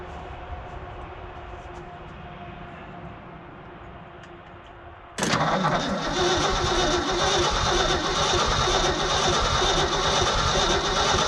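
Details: Old Ford dump truck, sitting 20+ years, cold start attempt with a little choke: steady starter cranking about three turns a second that never fires; no spark because the coil wasn't hooked up.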